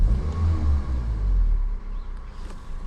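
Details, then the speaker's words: Toyota Avensis 1.8 VVT-i after repair for hunting idle, heard with bonnet closed: low, even rumble holding steady without rising or falling, tachometer at set revs; smooth idle with no hunting. "a tak chodzi aktualnie na zamkniętej masce praktycznie go nie słuchać jakaś tam roleczka może jedna"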